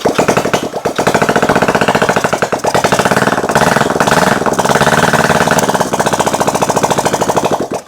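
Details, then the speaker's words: 1971 Honda CB350 twin on an engine stand after valve adjustment and timing, first start with carb cleaner and a small leak: fast firing but the beat wavers and stumbles; runs rough, could run better. "It ran. Can it run better? Yeah, it can run better."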